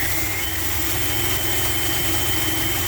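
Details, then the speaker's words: 1981 Dodge B250 custom Ram Van V8, first start after sitting years, running at idle: thin steady high whistle over uneven idle, probable vacuum leak, unconfirmed; owner says carburetor must go, will spray to find leak. "Asking too much of her. Carburetor's going to have to go. I definitely hear a whistle."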